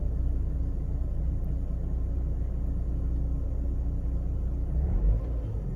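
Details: Mercedes W203 2.0 petrol, cold start: low rumbling idle with uneven lumpy pulse at three to four beats a second for about a minute, petrol smell, no fault codes; rough idle, cause unknown.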